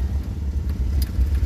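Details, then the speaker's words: BMW Isetta driving in second gear: the small single putters steadily and evenly with no knocks or misses, running great. "Right there, second gear. That's good, she's running great."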